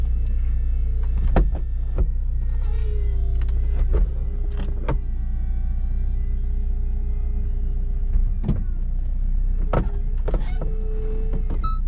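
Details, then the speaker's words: 2007 Saab 9-3 Convertible: steady electric motor hum with clicks and clunks as the roof comes up and latches, then a window whirr; roof mechanism works normally. "i think maybe in the next episode we'll uh get this thing all cleaned up here we go roof is coming up nice and"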